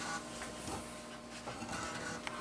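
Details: Floppy drive in an abandoned 1990s eMachines desktop, after cleaning: soft, quiet buzzing and stepping chatter from the drive head, even seeking, no grinding or hard clicks. The drive reads normally.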